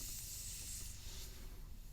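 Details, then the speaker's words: Jeep tire sidewall repaired with a GlueTread sidewall patch, being reinflated: thin steady high hiss of air escaping at the patch edge, likely too little adhesive there; fixed by adding adhesive. "so you might be able to hear that we're actually losing some air right here so if this is a this is a case where maybe i didn't put enough adhesive on that edge"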